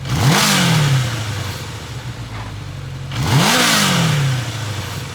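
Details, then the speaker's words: 1983 Kawasaki KZ750 Spectre, 22,000 miles, after carb tuning, unloaded: two quick throttle blips, revs rise crisply and fall back to steady idle; chain noise at idle goes away with revs as the chain tightens; healthy revving. "And these motors have a little chunky sound to them. You've got the timing chains and you get a primary chain that runs off the training. This has got 22,000 miles on it. They get a little noisy. But once you get up, it goes away because it's tightening that chain."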